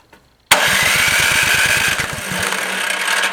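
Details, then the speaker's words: Yardman (MTD) snowblower with LCT engine, sat for years: electric starter spins about eight even compression beats a second with no firing; spark confirmed, fuel starvation from corroded carb bowl, fixed by dumping bowl and flushing tank. "use the electric start and it just kept cranking over until raw fuel was coming over the exhaust so I think we got a carburetor issue"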